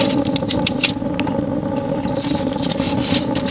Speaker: yeah the critical part is just getting the air flow right listen [Music] you hear that that's pellets now there's too much air still hot a little bit too much